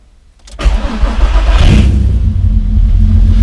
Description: First start up of the caddy. No fuss, no drama, just cranked it over and she started right up.